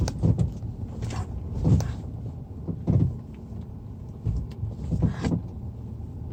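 Dull, irregular low thuds coming in bursts as the car moves over bumps, a suspension knock from underneath, source not pinned down.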